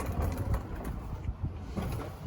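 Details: 2005 Chevrolet Silverado at idle with a previously patched exhaust: loud, low, ragged chuffing like a race car, from a disconnected exhaust pipe and several small exhaust leaks.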